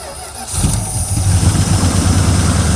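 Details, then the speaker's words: Circa-1975 Dodge pickup 360 small-block V8 revived after years sitting outside: quick crank, then it catches and settles into a strong, even low rumble with no misses or knocks. It runs great. "wow look at that it runs great"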